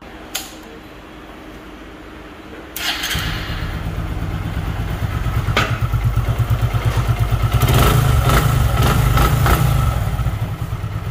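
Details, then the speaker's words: Hero Super Splendor motorcycle: click and thump, fires and settles into even putter, rising briefly with throttle, no knock; smooth, normal idle. "इसके engine में सांड कोरबा के messenger सा उतना smooth और चिकना मक्खन कर दिया है"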